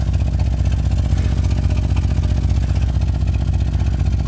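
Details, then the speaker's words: 1988 Chevrolet Suburban 2500 V8 after six years of storage, after a drive: deep, loose burbling exhaust with uneven chuffing pulses, about four a second. Exhaust leak from a big hole in one box of the rear muffler. "The rear muffler, you can hear it. You can hear the bulu, bulu, bulu, bulu, bulu. One of the boxes has got a big hole on it."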